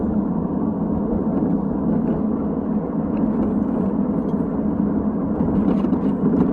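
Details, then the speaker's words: 2001 Chrysler 300M with new complete quick struts: passenger-side strut on a road drive sounds quiet, only smooth steady road rumble with no clunks or squeaks over bumps, unlike the noisy driver's side; normal strut, no noise. "here all right pass side sounds pretty good quiet here"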